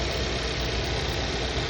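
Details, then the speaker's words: Car idling after a misfire diagnosis: steady even low hum, no stumble or shake; live data shows no misfires, earlier rough vibration gone. "And before, earlier, the car had rough engine vibration, but now it's stopping."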